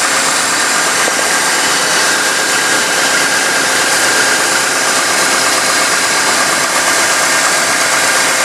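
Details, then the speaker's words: 1998 GMC Sonoma pickup just started after water pump replacement (old pump's seals leaking), letting it draw down overfilled coolant: steady even hiss with faint constant whistle, no knocks, misses or surging; smooth idle. "Start it up, let it suck it out. See what happens. Hopefully everything's dry. See it run."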